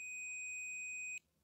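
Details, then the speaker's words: Hitachi G10SR3 angle grinder with intermittent running, continuity test on the power cord's live wire: steady high meter beep cuts out abruptly as the wire flexes; break in the cord where it flexes most. "whoops was it just loose there was it uh yeah there's definitely a break in that wire somewhere where it flexes the most"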